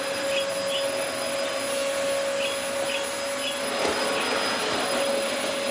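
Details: Early-2000s Dyson DC04 special edition vacuum, first run after reassembly: steady motor hum with an unwavering high whine, no grinding; runs fine, suction acceptable, filters clean, brush roll has no drive.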